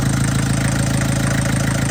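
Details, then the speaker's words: MK1 Ford Transit diesel at idle after fuel system overhaul and first oil change in 30 years: steady even clatter, no stumble or knock, no leaks; running smooth, still blowing crap from exhaust. "A lot of success. Running pretty smooth now. Still blowing crap out of the exhaust."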